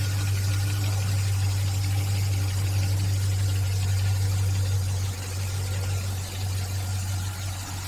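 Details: 2003 GMC engine at idle: a deep steady drone with a loose pulsing about three times a second underneath; odd engine noise, cause unclear.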